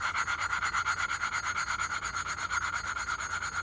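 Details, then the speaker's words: Harbor Freight Predator 212 Hemi engine head, valve lapped into its seat by hand with suction cup and compound: steady back-and-forth rasping, about three strokes a second, getting quieter and less abrasive as the seat mates. "now you can hear the grinding getting a little quieter and I can also feel it it's definitely not as it doesn't feel as abrasive as before"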